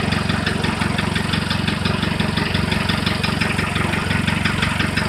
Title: Стук в двигателе. Что может быть?